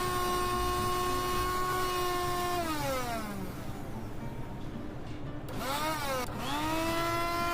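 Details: Mixer grinder after motor repair and carbon brush replacement, light brush sparking from an undersized brush: high steady motor whine falls as it coasts, then spins back up smoothly with no grinding or rattle; runs freely and healthy.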